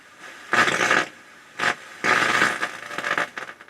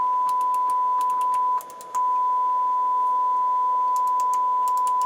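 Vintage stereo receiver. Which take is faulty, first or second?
first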